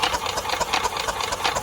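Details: Yamaha golf cart engine sitting 6–7 years, after flushing carburetor jet: labored, even chuffing about seven strokes a second that never speeds up; weak battery, no spark seen yet. Slow cranking from weak battery.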